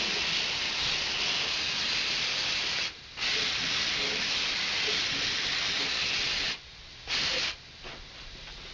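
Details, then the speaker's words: Truck undercoating with Fluid Film in cold weather: steady high-pitched air hiss through the spray gun, stopping briefly when the trigger is released and returning; normal air bleed through the gun, no sputter or pulsing. "so if I do it like that I'll let off and it stops because the air is bleeding to here you can hear it"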